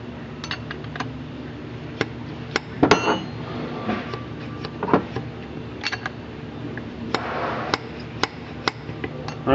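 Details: H-type SU carburetor during rebuild, jet being centered after a dragging needle had stopped the piston from falling; crisp metallic clunks as the lifted piston drops freely onto the bridge, jet centered, free piston drop.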